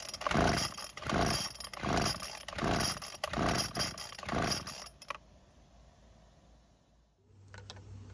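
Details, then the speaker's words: Neglected Craftsman string trimmer, choked then unchoked as possibly flooded: repeated recoil pulls about once a second, rough whirring rasp, engine never catches; no-start, fuel system suspected. "Of course, it's not going to start, and that was the problem with it, according to my friends."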